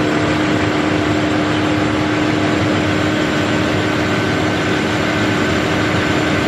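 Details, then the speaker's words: Massey Ferguson 40 diesel combine, about 1996, sat 3 years, after fuel system bleeding and restart: steady heavy drone with an even low beat and no misses, running on its tank, slight smoke expected to clear; normal diesel running. "so she's running nice you know running off it's on diesel tank and um seems to have sitting down smile the smoky but that will clear it up after a while"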